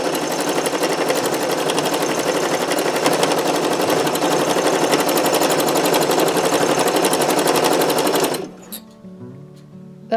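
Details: Sewing machine after cleaning and oiling: a fast, regular stitching rattle at about four per second with a thin squeak still riding on it, then it stops. Sounds better than before, but still squeaks; more oiling is planned.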